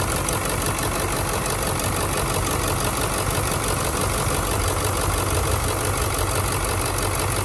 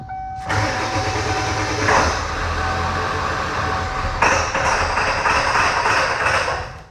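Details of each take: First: Ford OBS 7.3 Powerstroke diesel, about 150,000 miles: even clatter at idle, steady beat, no stumbling or dropped cylinders. Running clean on all eight after an injector-versus-harness test; the fault was a bad injector wiring harness, not an injector. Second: 7.3 Powerstroke OBS diesel, 150,000 miles: catches after cranking then runs rough and lumpy, busting up as if the IDM is killing a bank; misfire, shorted injector solenoid or harness suspected, not confirmed.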